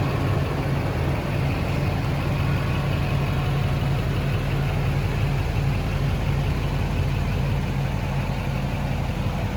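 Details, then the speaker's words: 2006 Chevy Silverado 3500 4x4, 6.6 Duramax diesel, 25k miles, serviced: just started, low, steady, even idle rumble with no knock or misses; very quiet, healthy idle. "Go ahead and start it up for you here. See the mileage there on the dash. Very quiet idling."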